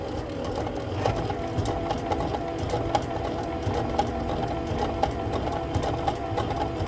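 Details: Rotimatic NEXT making a loud whirring clatter with sharp clicks about once a second, abnormally noisy.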